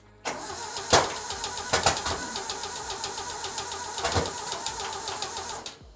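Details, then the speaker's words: 1968 Datsun 2000 Roadster cranking on starting fluid with no fuel supply, barely seated positive terminal, no-name part reportedly recently replaced: rough catching with three sharp loud pops over four seconds; backfires, owner assumes it needs fuel. "all right just like I said we got some nice nasty backfires"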